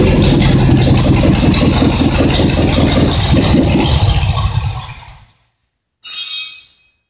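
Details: Simplicity twin-cylinder engine, reassembled, revs up strong and steady with no misses, then shuts down with a brief pop on let-off; earlier it popped and misfired when revved, now runs well; owner suspects debris burned out of a cylinder.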